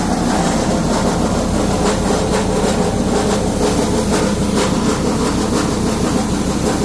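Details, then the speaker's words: Freightliner Cascadia diesel on the road: constant engine drone with a loose, uneven metallic rattle about twice a second from broken internals inside the SCR one-box emissions aftertreatment unit. "Ese sonido específico venía de lo que era la caja de emisiones."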